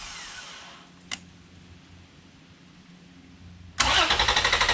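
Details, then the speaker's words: 2011 Toyota Tacoma with main battery out, powered by a Lokithor J400 2000A jump pack, EFI relay removed: near silence, then quick even strong cranking that never catches; cranks but no start, no fuel or spark. "I'm impressed with this little jump pack. I was not expecting to crank that quick and that fast, and it still maintained all 4 bars on the unit."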